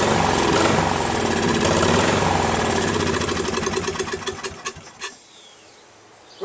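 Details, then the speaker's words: Craftsman 13.5HP mid-engine riding mower replacement engine after fitting new flywheel key: uneven hunting pace, then stumbles with sharp pops and cuts out; still surging and backfiring; governor reset gave no change, owner suspects carburetor. "a little better but it still backfires a little and still surgeon I don't know maybe it's the governor needs to be reset"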